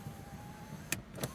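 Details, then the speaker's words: Nissan March 1.2 L automatic 2011, 98,000 km: electric power window operating with steady even motor hum, no strain or grinding, soft clunk at the stop; works normally. "dan untuk electric power window juga masih normal ini bagian"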